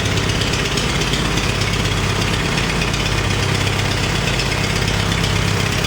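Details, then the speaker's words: Farmall 350 diesel tractor after rebuild, block warm but temperature gauge low (thermostat suspected): rough idle, lumpy beat about three a second, cylinder not firing; cracking No. 1 injector didn't change tone; fires on all four when lugged in 5th. "Ran around the parking lot, had it in 5th gear, and I just kept really lugging it. And when you really would lug it, it would kick in on all four"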